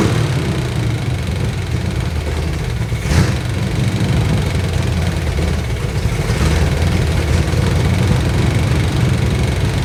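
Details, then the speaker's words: Abandoned Chevrolet C20 truck after timing adjustment: lumpy, uneven idle with a low throb that wavers and stumbles; rough idle; the timing light shows timing okay, so the owner suspects a carburetor issue, but it runs well enough to drive out. "surprisingly the timing it's okay so it's carburetor issue and this thing's just going to sit for a while anyway so it runs good enough to drive it out of the shop"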